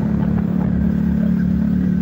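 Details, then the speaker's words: Drive chain on a 2022 Honda CB Twister makes a loud, irritating noise while riding: steady engine drone under load with a faint dry rattle through it; suspected noisy chain, not confirmed, kit over a year old. "que a corrente ela ela faz um barulho cara tremendo tá ligado"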